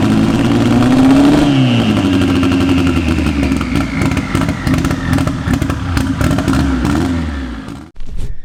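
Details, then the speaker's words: K24-swapped AWD Honda Civic before new cylinder head, even compression on all cylinders and valve lash checked: rough, uneven note with stumbling beats as revs rise and fall; misfire suspected to come from the cylinder head, not confirmed. "it just has that weird little it just doesn't sound right there's definitely a misfire in there and I think it's for sure something in the cylinder head"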